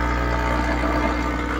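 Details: Sakura AV-735 amplifier with an equalizer connected at the A/B input: constant low ground hum with stacked steady tones through the speakers even without DC output; unplugging the connection removes the hum, so the fault is in the amplifier.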